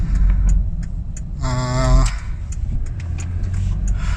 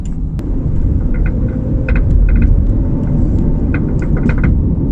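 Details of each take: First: 2008 Toyota Kluger/Highlander after fixing a front upper strut knock, recorded from the cabin near the dashboard over repeated bumps. Low road rumble with no thumps or clunks; knocking gone, normal suspension. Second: 2008 Toyota Kluger/Highlander on the road; heavy rumble with sharp, irregular knocks and snaps over bumps from the front suspension. Worn front strut top mount, confirmed fixed after repair.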